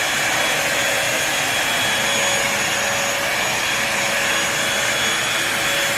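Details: New Bissell 3-in-1 Lightweight Stick Vacuum, model 2030, switched on for sound test on crumbs and sand: steady, even high-pitched rush with constant whine, no surging or rattles; motor running smoothly, normal.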